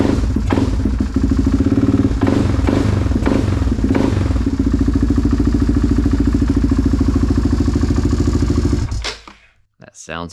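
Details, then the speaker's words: Yamaha Grizzly 660 ATV brief test fire after rebuild with modified decompression mechanism, new radiator and reinstalled inner valve springs: deep, throaty, beefy single-cylinder thump running steady and even for nine seconds, then shut off; normal idle. "beefy. Sounds very very throaty."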